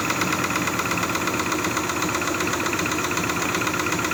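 Small three-cylinder petrol engine idling with a quick, fairly steady knock about four times a second over the running noise. Cause suspected, not confirmed.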